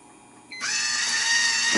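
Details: GE water softener (GXSF40H, EP7) manual regeneration started by press-and-hold: click, then small valve motor spins up to steady high-pitched whir running evenly; valve drive normal.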